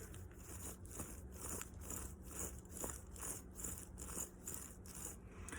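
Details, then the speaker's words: 2007 Nissan Xterra front driver-side wheel bearing, removed and hand-spun: faint rough grinding with soft clicks about twice a second; subtle but caused loud on-road noise; worn bearing, replaced. "and you can hear that little bit of grinding and clicking and even though it is very very subtle that caused all the noise issue that we were hearing on the road."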